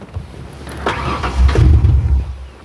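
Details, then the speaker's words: 1997 Ford Explorer 4.0L with MAF sensor fault and P0172/P0175 rich codes, wide open throttle: sluggish rise, deep muffled rumble, hardly revs, clouds of black smoke, barely stays running; rich bog from faulty MAF. "ig cloud of black smoke so I know it's running rich it hardly revs at all here"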